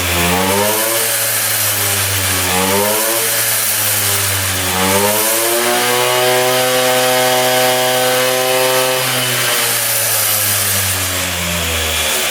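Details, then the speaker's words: 1978 Austrian Puch two-stroke moped, just revived after 37 years: buzzes cleanly, pitch climbing and falling smoothly with each rev, no misses or knocks. It revs out completely with no leaks. "But yeah, she uh she sounds pretty good. Revving out completely, too. No leaking at all."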